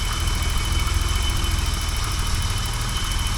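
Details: 1985 BMW 635CSI at a steady, even idle with a smooth low pulse and no knock or misfire, running cleanly under power steering load while the transmission fluid is checked warm; normal idle.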